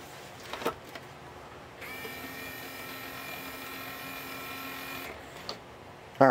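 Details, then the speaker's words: RCA PR8070D 5-disc CD changer, after greasing: small tray motor whirs steadily about three seconds at even pitch while the tray labours to move; owner suspects a worn drive belt underneath, not confirmed. "I wanted to see if I could get this door this tray freed up so it would move in and out freely but it uh it's going to take a little bit more of getting in"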